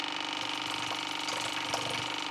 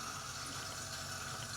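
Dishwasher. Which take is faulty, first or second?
second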